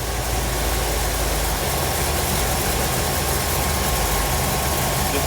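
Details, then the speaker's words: 1957 Chevrolet Bel Air carbureted engine after carburetor replacement: a constant, even drone that holds speed without hunting as the throttle stop is set for idle RPM. Normal idle. "okay basically that is just giving you a throttle stop to give it enough for the engine to idle at a specific RPM for you"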